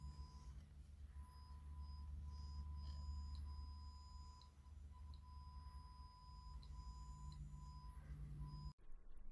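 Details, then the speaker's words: Strauss SRT-15 15 W guitar amp driving a 100 W 8 ohm load resistor with a kilohertz test tone: the tone cuts in and out with ticks and surging volume over low hum; suspected faulty, red-plating power tube. "listen carefully you might hear the tone come through and I think this tube is faulty but check this out"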